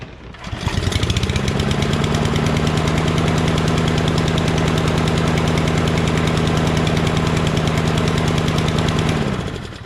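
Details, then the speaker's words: Murray mower fitted with a Briggs engine: the choke stays on for about a minute after starting, so it chugs at a steady, heavy, low beat without picking up speed; stuck choke, running rich, revs up high a minute later. "But it chokes for about 1 minute or so."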